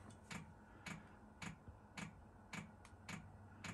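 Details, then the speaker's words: 1987 VW Vanagon Syncro Westfalia parked since 2001, auxiliary heater's fuel pump priming from a can. Loud, steady dry clicks just under twice a second: normal fuel pump ticking while priming. "pump just started it's got the pump going now it's very loud very loud pump can hear the pump down there"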